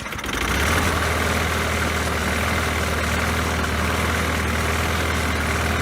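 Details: Poulan Pro mower after refitting the missing throttle spring: the small single-cylinder engine holds a steady, even low drone with no surging or misses. Normal running.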